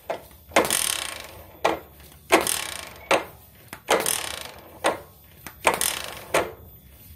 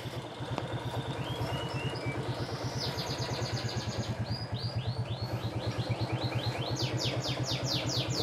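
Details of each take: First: Suzuki Shogun 110 motorcycle kick-start: about eight quick hard kicks, each a rough ratcheting clatter with no catch or firing; slow kicks engage but fast kicks slip, kick-start one-way clutch slipping, rough noise sometimes. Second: Suzuki Shogun 110 after a new one-way starter clutch was fitted to fix kickstarter slipping. Steady, regular idle putter; the ticking comes from valve clearances set loose for mountain use. Normal idle.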